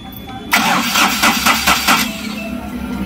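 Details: Ashok Leyland Dost BS4 diesel with Bosch EDC17 ECU: starter cranks with about six quick, uneven compression pulses and never catches while camshaft and crankshaft sensor signals are checked on an oscilloscope and found OK; crank no start.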